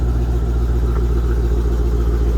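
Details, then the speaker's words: 2012 Jeep Grand Cherokee SRT-8, 6.4L HEMI V8, 98k miles, remote cold start: fast, even ticking over deep high idle rumble, fading as idle drops and engine warms; leaking donut gasket at catalytic converter-to-exhaust manifold flange. "But the exhaust leak is see that catalytic converter, there's a flange that bolts up to the exhaust manifold, and it's a donut gasket, and that's what's leaking."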